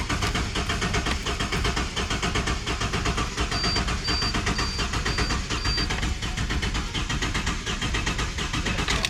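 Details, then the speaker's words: Barn-find Ford EF XR6 first start attempt, low battery voltage, number one spark plug out: starter churns steadily for seconds without any sputter or firing despite having fuel; crank-no-start, traced to a faulty aftermarket piggyback chip. "because when I crank it it doesn't actually sputter or anything it it literally just cranks and cranks and cranks but it has fuel so it doesn't really make sense"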